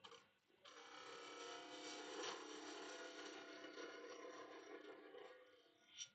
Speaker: Can hear it sort of chatter a little bit. That's the area that's not very round, very true.